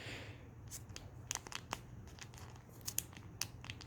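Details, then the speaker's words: Husqvarna 122HD45 hedge trimmer carburetor that only runs on choke, metering diaphragm flexed by hand: dry crinkly crackling instead of soft and quiet; stiff diaphragm that won't pump fuel, to be replaced. "here has crackly that means it doesn't pump good it should be real soft and just go you know something like that"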